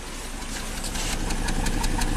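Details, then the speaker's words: Volvo S60 turbo at idle after coils are reinstalled and a spare plug is fitted in cylinder one; still misfiring and shaking, with an uneven stumbling beat and sharp pops; mechanical damage and low compression suspected after severe misfire and power loss. "still misfiring but it sounded better right yeah so let's see it's still shaking obviously"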